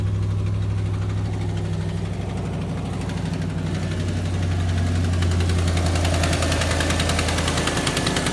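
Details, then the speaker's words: 2005 Ford F-350 5.4L Triton 3-valve V8 with lean and O2 sensor codes: uneven, lumpy idle that sags and hunts with hissy flutter, barely staying running; main vacuum hose known to pop off; huge vacuum leak. "it's got a huge vacuum leak watch it's going to drop down to the point where it's barely going to idle"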